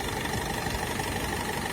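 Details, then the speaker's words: Nissan Primastar diesel: steady, even idle with soft uniform clatter, no knocks or uneven beats; owner says it runs as smoothly as a petrol engine; normal diesel idle. "зразу вам скажу Це він працює як бензиновий"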